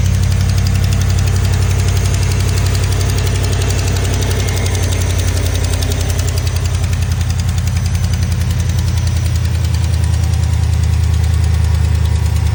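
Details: Steady idle with a light, fast, even tick riding over the low rumble. It sounds like valvetrain tapping; a lifter tick is suspected, cause unconfirmed.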